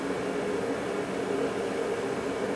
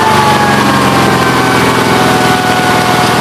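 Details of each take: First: Onan B43 twin after re-ringing, honing and a piston decarbon, idling on a long run-in to check for the earlier smoking and oil from the breather: a steady, even mid-pitched hum with no knocks; normal running. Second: Onan B43 twin after new piston rings: steady, fast-firing warm idle with a slightly rough, breathy note; oil blowing back out the breather after about 11 minutes. Owner suspects a faulty breather or worn cylinders; crankcase blow-by not confirmed.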